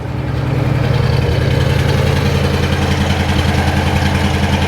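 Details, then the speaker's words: 1973 Pontiac Grand Am with a 400 V8 and 4-speed, 38,000 miles, just started cold on the choke and heard from the rear with possibly factory Cadillac mufflers: steady, even, subdued burble at a slightly fast idle; healthy. "nice and subdued i think he's got cadillac mufflers on this thing he hasn't changed it from factory"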